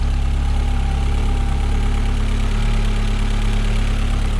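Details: Astra H VXR with K04 turbo core just replaced, after fixing a blowing boost pipe clamp: steady, even low idle with smooth deep hum, no ticking, hissing or boost leak chuff, healthy.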